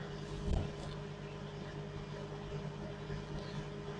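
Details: LG microwave brought in as faulty, heating a cup of water: quiet, steady low hum with faint constant tone after a brief bump at start; water heated, runs normally, no fault found.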